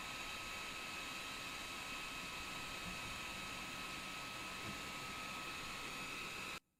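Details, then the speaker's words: Kingroon KP3S 3D printer part-cooling (layer) fan running: a steady, high rushing hiss with a thin constant whistle on top cuts off sharply at the end. The blower itself is simply very loud. "that layer fan is a turbine can you guys hear that in the background it's it's screaming she's a screamer"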